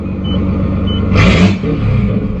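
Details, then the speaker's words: Nissan in neutral just after exhaust work at the cat: heavy, loud low rumble at idle swelling to a harsh roar on a short rev; open, tractor-like exhaust after exhaust modification. "oh yeah she's a tractor okay let's see how this thing drives sounds like a tractor grab my earmuffs just in case"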